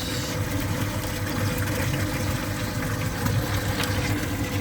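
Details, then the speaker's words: Sewage lift pump replaced and plugged in directly via extension cord: steady, even rumble of motor and rushing water with no knocks or surges; pump running normally and discharging. "La pompe elle est branchée direct avec une rallonge. Et là ça se jette. Super. Donc les amis, la pompe de relevage elle fonctionne."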